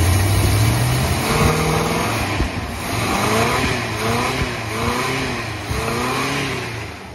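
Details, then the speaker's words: Ford Fairlane V8 after distributor replacement with new plugs and wire harness, vacuum advance disconnected before timing set: clean note climbing and falling smoothly through blips, no misfire or stumble; normal revving. "Sokkal jobb, mint amilyen volt régen. Nagyon szépen jár."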